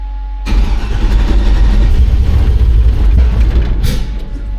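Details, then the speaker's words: 1953 truck with LS swap on Holley EFI, generic fuel table, closed loop off, new plugs; cranks and catches then runs lumpy and uneven, smells of raw fuel, injector pulse width far off, timing possibly off; rough running. "so the air fuel is like it's running too bad for it to really matter it's all over the place but if we just looked at the injector pulse withth you can see that uh it is is nowhere remotely close uh it just smells like raw fuel"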